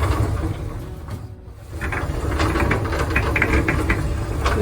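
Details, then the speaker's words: LG drum dryer running with its panels removed: a deep, uneven rumble with scattered clicks and rattles. The suspected source is the drum rollers, blower wheel, top support or belt pulley, not yet confirmed. "okay so the problem was that it's making a noise and you can hear the noise"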